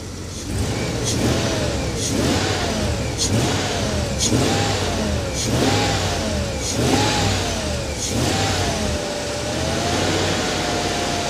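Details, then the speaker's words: Abandoned Rolls-Royce Silver Spirit III just after its first start after sitting for years. About eight sharp throttle blips, each rising cleanly and returning smoothly to a steady idle, rock the car. Spilled oil is burning off the manifold. Healthy throttle response. "look how she rocks the car guys when you blip the throttle"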